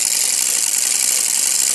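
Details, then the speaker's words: Brushless motor test using reed-switch sensors on a 12 V supply: constant high-pitched hiss and rasp over a fast steady spin. The card sensor disc rubs the reed switches, which must sit very close to switch. "it's just rubbing a bit because what happens is that I have to put them quite close the the actual re get you can see they're only just above it so they're actually cing the disc"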